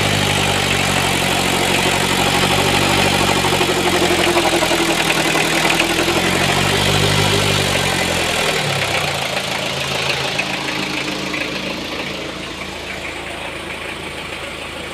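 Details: Toyota 1C-II diesel with an aged timing/drive belt at idle: fast regular chatter, about four per second, over the diesel clatter, fading as it shuts down; strange noise, belt suspected.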